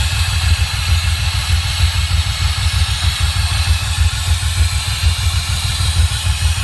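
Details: DeLorean idling with a pulsing low throb and a constant harsh metallic grinding rasp over it, with loss of power; cause of the grinding unclear.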